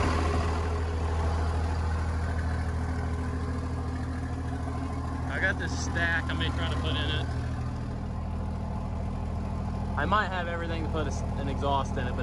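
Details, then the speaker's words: 24-valve Cummins diesel idling on an open downpipe with no exhaust: deep, loud, unmuffled idle with steady rapid chatter; truck also defuels because it thinks boost is too high, exhaust not yet fitted. "and it does like i say have open down pops it sounds like crap but i'm trying to get an exhaust figured out right now"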